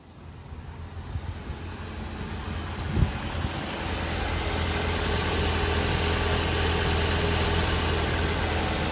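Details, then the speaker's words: 2011 Ford Transit Connect idling after coolant reservoir replacement: steady idle with a light metallic rattle on top; owner says the rattle still needs an expensive fix. "it's time to get that rattle fixed which means I'm going to spend a pile of money this week a monster pile of money"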